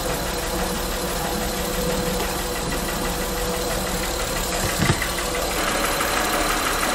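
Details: Honda Pilot at idle with microphone held close: a faint light tick over a steady idle, louder on the mic than in person. Source not yet found; cylinders were disabled and a pulse sensor used to locate it.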